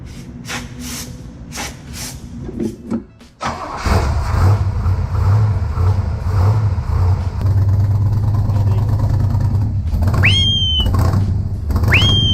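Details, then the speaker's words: Freshly started engine. It catches after cranking with starting fluid sprayed in and settles into a lumpy, uneven low rumble. The owner suspects it is running on only six cylinders and will check it before storing it. "I think it's only running on six cylinders right now so we're going to look at that before we put it away"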